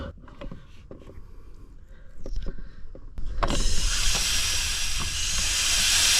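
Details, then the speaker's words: Range Rover L322 TDV8 Autobiography with AC not blowing cold: a loud, steady hiss while soapy water bubbles at a hole underneath that can be felt. Refrigerant is leaking from a sizeable hole in the AC system. "please make sure bubbles coming from underneath over there let me spray more so you can see there so it looks like oh wow I can feel it so I can feel big hole there"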